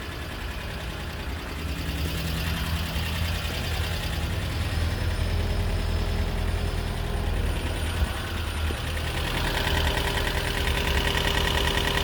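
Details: 2012 Prius V engine at steady idle after head gasket rebuild and computer replacement: light, quick top-end ticking about four per second over low hum; owner hopes lifters are adjusting and it will clear up, cause unconfirmed.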